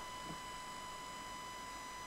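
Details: Computer, camera, microphone, cassette deck, mixer, amplifier and speakers all interconnected: steady thin whine near one kilohertz with buzzy overtones, digital noise from the computer through the speakers. Ground loop noise.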